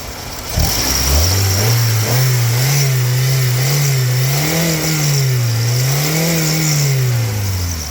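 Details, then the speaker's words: 2001 Honda Accord four-cylinder with heavily slipping transmission; engine revved in park through several blips, pitch tracking throttle cleanly with no knocks or misses; ignition, wires, likely plugs replaced, new battery, one broken small hose. Motor solid, normal engine revving. "But again, everything else as far as the motor is solid."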